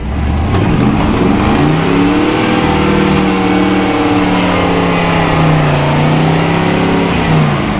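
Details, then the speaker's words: Tuned 1962 Chevy pickup engine, revved higher than the owner had ever run it (said to be fine to 5,000 rpm): a strong, even note that climbs and settles with no misses or knocks. Normal revving. "Sounds like it runs good. Yeah. I don't think I've ever ran the RPM that high."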